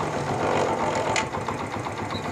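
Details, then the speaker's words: Honda CD70 with a missing problem, after cleaning the contact points and refitting the magneto cover. It starts on a half kick and idles fairly evenly with a light mechanical patter and no missing beats: runs healthy. "Start करके अब इसका sound भी सुनते हैं और देखते हैं कि यह हाफ किक स्टार्ट होता है या नहीं"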